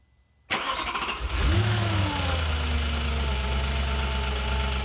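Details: 2007 Audi S4 V8 after a full timing chain job and new clutch and flywheel: it catches and settles into a steady idle with a faint quick tick riding over it. The ticking source is not yet found.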